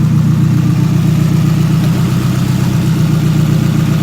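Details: Nissan S14 SR20 with a new Tomei turbo setup and manifold: a light rattle, about four a second, at idle near the turbo, worse after throttle and on release; suspected loose or stuck wastegate flapper, possibly an exhaust leak.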